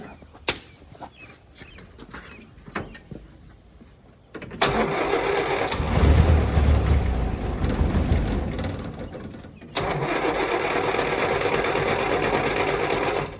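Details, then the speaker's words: 1965 Land Rover 88 Series IIA (also called a '64), 2.5 L petrol inline four, sitting unused since 1996: a few quiet clicks, then loud churning cranking that catches into a rough, uneven run on the first start after storage. "We are going to try and start this Land Rover today. 64 Land Rover 88 Series 2A. Last time it was on the road was 1996."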